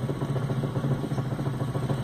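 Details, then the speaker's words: Car with engine off, steering wheel shaken: rapid dull knocks about seven a second; initially unclear whether steering rack, inner tie rod (axial arm) or tie rod end; worn inner tie rod. "Ah e dá para perceber claramente que o carro está fazendo um barulho a princípio não dá para saber se é na caixa de direção ou se é nos braços axial ou se é nos terminal de direção"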